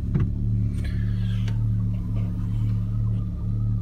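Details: Daewoo Lanos/Sens engine after a loose nut was found and retightened: smooth low idle with a steady pulse and no rhythmic knocking underneath; quiet and healthy.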